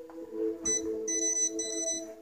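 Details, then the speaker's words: PS4 VR headset/processor unit that keeps turning on and off since a recent update, unplugging and swapping wires didn't help: high electronic beeps repeating in short bursts about every half second; repeated beeping, cause unknown. "seems to be staying on right now but the beeping won't stop and I can't use the viewer"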